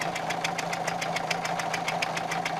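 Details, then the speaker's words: Renault 1.5 dCi diesel with Delphi Euro 3 injectors, at idle: sharp metallic ticks about five per second. This is blow-by past a loosely seated injector, not engine knock. The fix is a thicker injector seal, after which the ticking stopped. "вот такой вот момент именно конкретно на этом двигателя есть поверьте звук довольно таки напоминает металлический стук [аплодисменты] вот видите стучит а"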